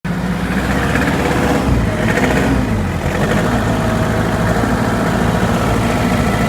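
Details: Hyundai Porter diesel, knocking persists even after engine replacement: loud idle with a heavy, low, steady knocking, heard from below; cause not identified.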